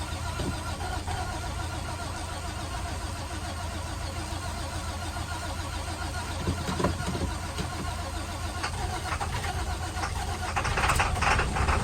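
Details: International WorkStar work truck, no-start part 2: the starter churns steadily at about three and a half turns per second for over ten seconds and the engine never catches; cranks but won't start.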